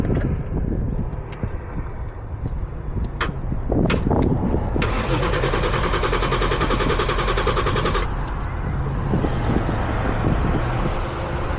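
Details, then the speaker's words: G35 with 1JZ swap, car long sitting, trying stock ECU; steady starter churn about 3.5 beats a second with no catch or firing, cranks but won't start; bad fuel suspected but doubted as the sole cause. "Yeah, but even on bad fuel, it'll like you'll get a puff or something. This sounds like it doesn't even want to run."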